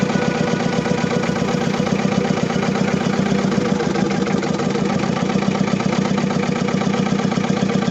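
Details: Diesel engine with low power, black smoke and vibration, fuel system suspected: idles with an uneven, lumpy clatter and rough beat; misfire, exact cause not confirmed.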